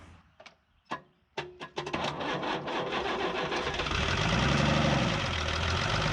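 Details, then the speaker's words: 1975 Chevy pickup with Isuzu 6BB1 diesel, sitting since 1992, fuel pump being bled: heavy, uneven cranking thumps at about four per second, then rough rattly rumble straining to catch; apparently high compression taxing starter and battery. "two thing sounds like a tractor I mean it basically is okay got to let the starter in battery cool down again the compression on this thing must be great because it's just being really rough on this starting system"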